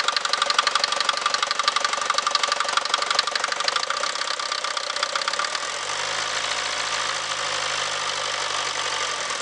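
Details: Mercedes Vito 110D 2.3 TD OM601 diesel at idle: a sharp metallic knock about four times per second, clear above the diesel clatter; engine knock present, source unconfirmed.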